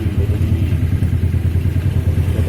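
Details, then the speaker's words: Yamaha MX King motorcycle idling with a loose, uneven low clatter pulsing from the clutch side; clutch parts checked still good, clutch housing damper rubbers had been replaced before; rattle from worn clutch housing damper rubbers. "Hai di sini dilihat dari penyanyi pernah diganti karet-karet buktinya karet rumah kopling baru masukkin ini udah pernah Kalsel ganti nih pagi-pagi begini I"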